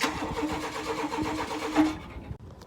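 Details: Chevy K1500 truck that sat for a few years, cranked on battery: a steady rapid churn for about two seconds without catching. No fuel is reaching the engine.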